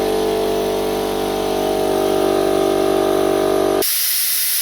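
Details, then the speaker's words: Air compressor running with a newly fitted manifold: steady loud hiss of escaping air over the running pump; unloader valve in the new manifold still not closing. "So I've put a new manifold on my compressor, and still the unloader valve in the new manifold also is not shutting off properly."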